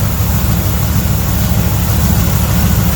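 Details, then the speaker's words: 1978 Jeep J10/J20 V8 after replacing both blown exhaust header gaskets that caused popping: a smooth, even idle with no popping or exhaust leak sound, running healthy. "there it is no more popping no more exhaust sounds good perfect kitten"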